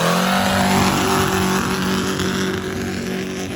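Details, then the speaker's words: Homemade 1.7 L V8 go-kart built from eight 212cc engines, with new NASCAR-style exhaust, winds up with a wavering, hanging pitch under full throttle about 3/4 of the way down the run; belt slip suspected, not confirmed. "Sounded like the belt was slipping, though. It did. Yeah. So, we're still just trying to test this thing to prepare it for the S10 anyway. Yeah. I mean, it sounds like you got about 3/4 of the way down and it started winding up the faster."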